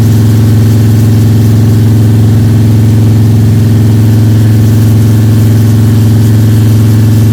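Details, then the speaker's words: Freshly built Ford 302 Cleveland V8 with Holley Sniper and new electronic distributor, first start, fast idle (~10–15 min), timing around 31°: smooth, even drone, no top-end ticking or rattling; healthy normal high idle. "I'm happy with that. Cam is running, engine sounds sweet. You beauty."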